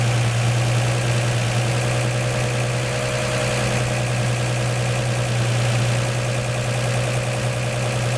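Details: 1949 Chevy 3100 idling after swapping its Pertronix Flamethrower distributor advance springs to high-range copper for earlier mechanical advance; even, steady low rumble with no misses, knocks or hunting, seeming to start easier and idle higher from more advance.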